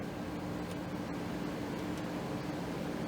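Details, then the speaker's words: 10,000 BTU window air conditioner running on high fan: steady, even rush of air with a low, constant motor hum and no rattles or knocks; even high isn't that loud, so the unit runs healthy. "even high isn't that loud might as well just run out high yeah get more heat projections"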